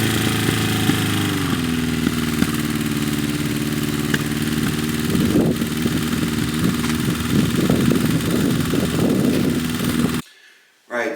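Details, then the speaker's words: Restored 1978 Honda CB550K four-cylinder: uneven idle with busy light ticking clatter like a sewing machine; owner believes valve adjustment is wrong, also idle hangs high (carbs suspected out of sync) and stumbles at 4,000–5,000 rpm. "definitely I've got the valve adjustment wrong because you can it sounds like a sewing machine so I need to take the tank off I need to readjust the valves"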